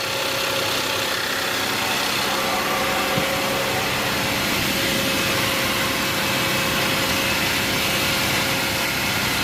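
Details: Audi 3.2L (A5/A6) first start after internal coolant leak repair, no engine lights, no vibration; steady even idle hum with lots of hiss on top, no knocks, misses or surging; normal idle.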